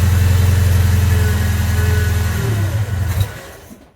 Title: Datsun 620 1500 L20b First start after head off valves cleaned up. Has a whirring noise hmm.